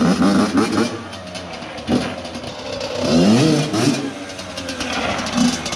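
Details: Yamaha YZ85 two-stroke after gear selector repair, fresh water and premium oil added: crisp revs climbing and falling in quick clean bursts, no misfire or rattle; engine running normally.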